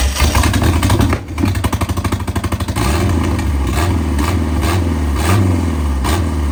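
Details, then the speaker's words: 1987 MerCruiser 3.0 boat engine after more cranking: quick even cranking chugs, then it catches and settles into a steady continuous run; the engine runs. "ladies and gentlemen, there you have it. The thing runs."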